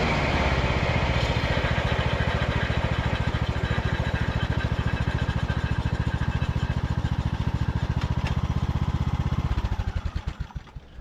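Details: Revived Craftsman YT3000 riding mower, abandoned about 4–5 years, after a test drive; steady, even single-cylinder thump at constant speed until winding down at shutdown; healthy, good-running mower.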